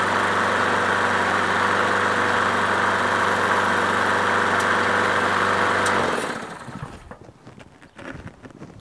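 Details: Craftsman push mower with swapped-in Briggs & Stratton Quantum engine, after winter storage, cold-started after priming. Steady, even single-cylinder putter for about six seconds before shutting off, no misses or surging; normal idle.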